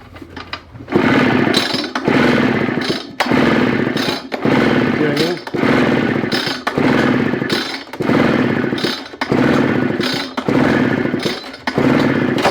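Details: Craftsman backpack blower with Japanese engine, gas poured in: repeated pull-start bursts about once a second, each a rasping crank that never catches; later dirt is found inside because there was no air filter. Crank, no start.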